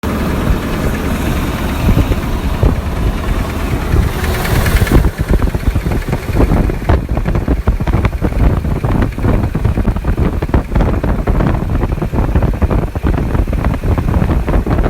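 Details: Car engine at idle, noise started suddenly while driving and car parked since: quick, steady ticking knock keeping time with engine speed; owner unsure whether rod knock or lifter tick.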